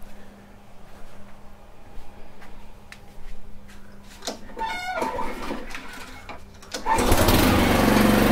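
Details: Honda HRR216 mower that stalled when the clutch engaged, blamed on a bad aftermarket carb, after the fix: quiet handling, then the engine fires and settles into a strong, steady run with no surging. Normal running.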